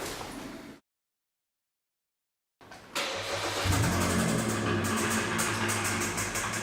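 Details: Kia Sorento 2.4L petrol engine starting and settling to a fast idle with a steady, regular light knocking from the engine; spun connecting-rod bearings suspected, to be confirmed by engine teardown.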